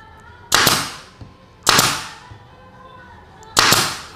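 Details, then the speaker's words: Pneumatic nail gun firing 3 cm F30 nails into kayu jati Belanda wood with the compressor tank full at 8 bar: sharp loud cracks as nails sink too deep; pressure should be reduced, 3 bar suffices for this wood. "ini aja udah tenggelam ya. Ini bisa kita kendorin dikit, bisa kita kurangin tekanannya."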